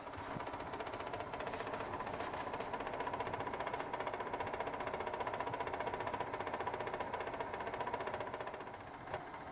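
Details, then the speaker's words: Ivation 19-pint desiccant dehumidifier run nearly 24/7 for months in an RV: steady fan hum with an intermittent fast clatter about 5% of the time, like cards in bike spokes; something striking the fan. "but then maybe five percent of the time it really starts to clatter almost sounds like you know when you used to put playing cards or baseball cards in the spokes of your bike"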